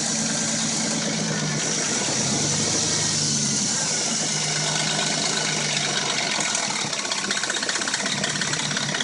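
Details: Dodge Intrepid at warm idle: a light, uneven metallic rattle like chain slap; the rattle and a knock occur only when warm and it sounds new when cold; timing chain suspected, not confirmed.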